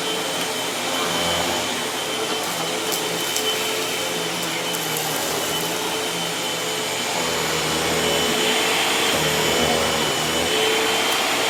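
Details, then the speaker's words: Hoover WindTunnel T-Series bagged vacuum: loud steady motor roar with rough fluttering hiss; owner says it definitely needs a new belt; noisy vacuum with worn belt. "definitely need to get a new belt for it, because y'all can hear what it sounds like. It definitely needs a new belt."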